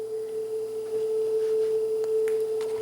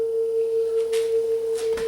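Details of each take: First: Sanyo dual cassette deck, first deck playing a test tone during tune-up: steady pitch without wavering, faint handling clicks; tape speed judged on frequency. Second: Sanyo dual cassette deck, second deck playing test tone: steady tone noticeably sharp, tape speed too fast; capstan motor speed adjustment on back of motor, wow and flutter also present.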